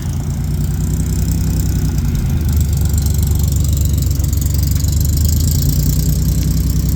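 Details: 1969 Jeep Willys CJ5 with 3.8 odd-fire V6 and carburetor, cold start around 20s°F after charging: deep lumpy, uneven loping idle; rough cold idle, choke involved.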